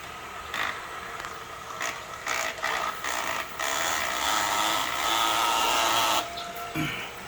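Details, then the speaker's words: Headhunter X-Caliber water pump repaired with donor parts, run on a 12 V supply with the body flooded and fittings hand-tight: steady electric whir with constant mid-high tone and light chatter building pressure; quiet and running normally. "Okay, it's running. And it's quiet. And it's pumping."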